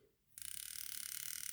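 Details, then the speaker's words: Hornby R2857 Class 5MT Black 5 model locomotive after reassembly and axle oiling: thin, high-pitched rasping buzz pulsing quickly and evenly while running; owner suspects a bent pickup hitting the wheel spokes; harsh buzzing while running. "it's making a horrible noise could be one of the pickups is still about a shape and I think it's possibly hitting the spokes anyway"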